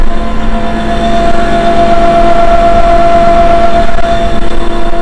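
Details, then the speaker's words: Seeder auger in Western Australia, test run after replacing a failed bearing, cog not yet fitted: steady even hum at one constant tone, no knocking or grinding, turning freely. "we haven't put the Cog on yet we just want another cow just to see what it's like it should be fine"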